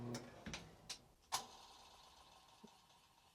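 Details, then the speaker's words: Old Maytag Performa top-loader washer won't drain or spin. The lid switch works, and scattered clicks come from the motor kicking on and off below with no spin; the owner suspected a bushing. "you can hear the I believe it's the pump or something motor kicking on and off down below you can kind of hear like a clutch or whatever working"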